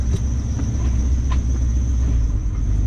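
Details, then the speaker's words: LS1-swapped Nissan Patrol driving after its exhaust leak was fixed and the LPG tank removed: a deep, smooth, even rumble with no hiss, tick or exhaust squeal; only a belt squeal remains. "it's so quiet like i said it didn't have that squeal"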